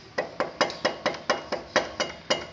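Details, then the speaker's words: Yamaha Fazer 250 front brake caliper knocking metal on metal, sharp clacks about three a second from worn caliper rubber bushings; owner's actual front noise was headlight housing hitting fairing, fixed with rubber isolation. "costumo dar o barulho aqui na pinça só que esse barulho aqui você percebe que é metal metal batendo vai ser tipo assim"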